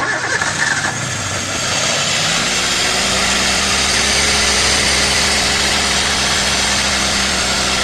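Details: 2012 Toyota Avanza that overheated and stalled on the highway due to poor cooling: after rotating by hand freely, short crank, engine catches and holds steady idle under heavy hiss; no clear knock, overheat damage unconfirmed.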